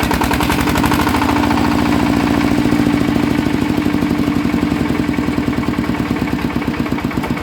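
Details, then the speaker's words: Yanmar 160 engine with a rhythmic noise: a heavy knock at every turn, about 3.5 per second, slowing as it winds down; the bearing is dead and loose, spinning in its housing; worn engine bearings. "น่าจะเป็นลูกปืนแน่นอนนะครับครับผมอ่ะนะครับก็รั่วมาแล้วนะครับสำหรับเครื่อง160นะครับปืนมันตายรู้แล้วครับว่าสาเหตุเกิดจากอะไรนะครับ"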